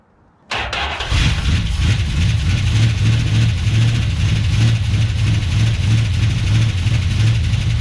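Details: 1970 Plymouth 340 Duster after sitting about nine months, fuel tank likely dry with sediment: steady starter churn about three pulses a second for several seconds without firing; cranks but won't start, cause suspected not confirmed.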